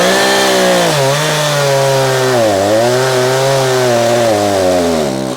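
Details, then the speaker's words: Echo CS-590 chainsaw after carburetor high-speed screw tuning (leaned to too lean, then backed richer): high steady full-throttle scream while cutting, dipping briefly under load and recovering cleanly; well-tuned, normal cutting. "You see there, we are ripping. So gang, this is like a game you play where you lean it out a little bit to speed it up, but then you're gonna feel it bog down and then you wanna torque it out."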